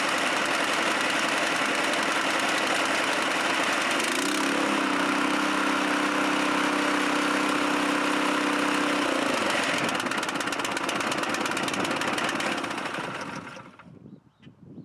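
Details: Chinese walk-behind track dumper bought broken at auction, untouched, started within two cranks: small single-cylinder engine settles into an even, steady idle with a brief held higher note midway, then shuts off cleanly; running fine.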